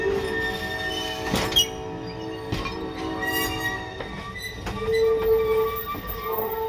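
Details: First run of the year, May 29, 2021, Arcade and Attica line: steady high-pitched squeal over the rolling train with clanks underneath; wheels squealing on the rail, possibly needing greasing.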